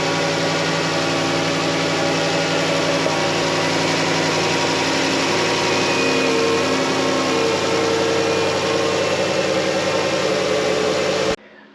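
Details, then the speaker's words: 2014 Dodge Grand Caravan 3.6 Pentastar V6 after oil filter housing replacement, spark plugs, coolant and oil change: steady even idle with no ticks or knocks, then shut off; normal idle. "Okay, that sounded good."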